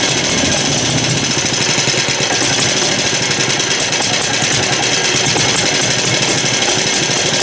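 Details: Lauson small engine: loud, busy clatter with an uneven, rough beat, possibly flooded; owner suspects dirt in the carburetor, not confirmed.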